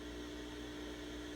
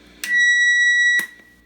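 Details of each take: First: Sears Silvertone Twin Twelve 1484 tube amp after a resistor was replaced with a quieter one, heavily amplified: only a soft steady hiss with a faint low hum, with the earlier thunder gone; the noise floor is clean. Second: Sears Silvertone Twin Twelve 1484 tube amp during restoration, probed with a signal tracer at the grid: steady high-pitched feedback-like whistle that switches on and off as the reverb tank is switched; oscillation traced to the reverb tank.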